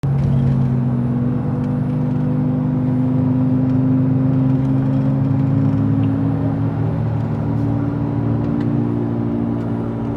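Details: Toyota FJ Cruiser driving: loud low humming/groaning drone, steady with road speed, from a bad front passenger-side wheel bearing, worn faster by long-used wheel spacers; both front bearings replaced as a pair and spacers removed.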